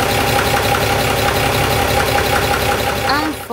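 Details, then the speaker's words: Freshly overhauled 230 hp Mercedes diesel boat engine: fine in neutral, but in forward or reverse the unopened gearbox makes a noise; steady idle with a repeating tick, then a rising whine. "quand on a commencé à faire le test aller et retour on peut entendre un tordu bruit de la boite de vitesse alors que c'est au neutre ça va mais quand on le déplace, il fait du bruit"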